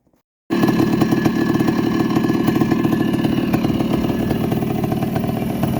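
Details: 1984 Honda ATC250R air-cooled two-stroke three-wheeler, started after an engine rebuild with crank bearings and a fresh top end: after a quiet moment, a crisp, rapid, steady crackle holding pace without missing; runs healthy.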